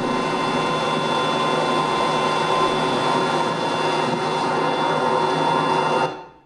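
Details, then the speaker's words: Pump motor measuring 95 dBA: loud steady hum with a ladder of even buzzing tones at 100 Hz harmonics, no knocking; electrical motor vibration radiated by thin panels, fixed by retrofitting laminated damped steel. "when we looked at it it was 95 DBA and the diagnosis showed that most of the noise was electrical vibration radiated by thin panels"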